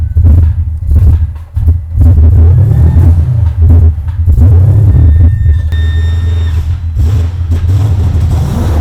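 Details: Aston Martin V12-powered Foxbody Mustang, idle target recently reduced after vacuum leak, before dyno tune: deep rumble climbs on free rev, dips briefly early then pulls clean; tip-in stumble, thought to be a tuning issue.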